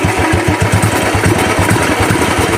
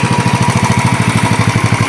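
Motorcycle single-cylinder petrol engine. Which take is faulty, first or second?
first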